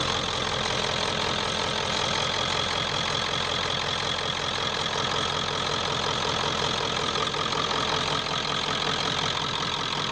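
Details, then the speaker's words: 1995 Ford F250 7.3 Powerstroke turbo diesel after glow plug and harness replacement: even diesel clatter at steady idle, no miss, surge or knock; sounding much better than before, normal diesel idle. "that sounded better kind of a hey a lot better than it was"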